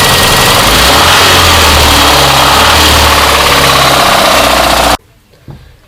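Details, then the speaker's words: VAZ 21099 (about 2002) petrol engine at idle, brought in for knocking: a hard, steady knock of about four beats a second, then the engine cuts off. The connecting rod is suspected. "ладно ничего не слышу что тут застучало походу сатунчик"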